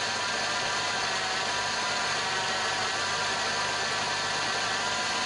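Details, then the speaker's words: Peugeot 406 petrol at idle has a steady hissing whir with no knock or rhythm, heard from the middle of the engine bay. It is traced to a dry, worn AC compressor clutch bearing, which quiets when the AC is engaged. "طبعا الصوت فيه في القطعه هذه اللي هي نتاع الرولمون نتاع المكيف ونوريكم في المكيف كيفاش يكون الصوت نتاعها علاش عمل الصوت هذاك"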